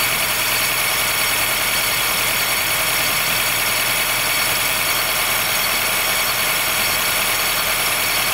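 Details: 2013 Honda Fit Hybrid (FIT3, DAA-GP5, L Package) cold-start squeal below about 10°C that fades after driving; thin high-pitched squeal and creak over a steady idle. Dealer found no error warnings, judged it harmless; source not found.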